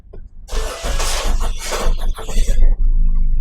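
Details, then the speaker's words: Ford EcoSport with dead accelerator pedal, code P2120-00-AF, after fitting a replacement second-hand ECM; starter churns briefly, engine catches and settles to an even, steady low idle, now lower than the previous roughly 1300–1400 rpm default idle. Normal start. "வண்டி start பண்ணியாச்சு. இப்போ பாருங்க RPM வந்து பார்த்தீங்கன்னா உங்களுக்கு முன்னாடி ஜாஸ்தியாக இருக்கும் டிஃபால்ட்டாக. இப்போ இந்த புது ECM போட்டதுக்கு பாருங்க ஆர்பிஎம் கம்மியாக இருக்குது."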